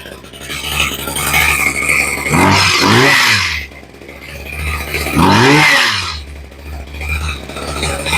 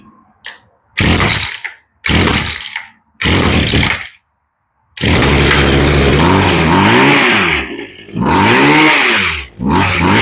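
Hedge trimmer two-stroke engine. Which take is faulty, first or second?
second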